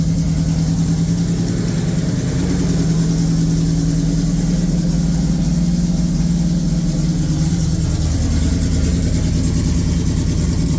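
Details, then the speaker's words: 2003 SVT Cobra, first start of a newly built supercharged engine: fast steady tapping over a rough, uneven idle that persists with the supercharger belt removed, loudest near the valve cover; valve train tick suspected. "Started off really good, and started hearing a little bit of a tapping noise. And so I took the supercharger belt off to eliminate the supercharger, and the noise is still there. It sounds like it's coming from the valve cover here."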